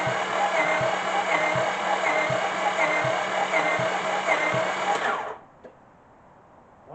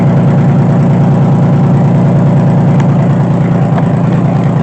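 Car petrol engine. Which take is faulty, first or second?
first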